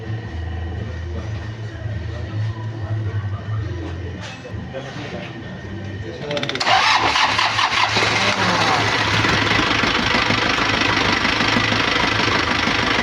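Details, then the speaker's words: Nissan Panther diesel after a rebuild with NPR liners and original piston rings, on the second start: a short crank catches quickly into an even clatter, easier than the long first start, after a leaking oil hose below the alternator was tidied. Normal start. "Alhamdulillah hidup yang kedua udah mudah ya, udah nggak panjang lagi, nggak kayak yang pertama tadi."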